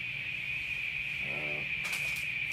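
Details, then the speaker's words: ADA MP2 preamp after replacing R913 to fix hum: loud humming gone, steady high hiss with thin whistle remains; hiss probably from old capacitors needing replacement. "Okay. So no more loud humming sound. Just sort of a hiss."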